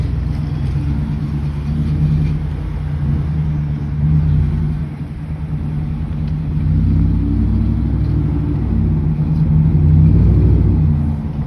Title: F150 5.0 Coyote Rattling Noise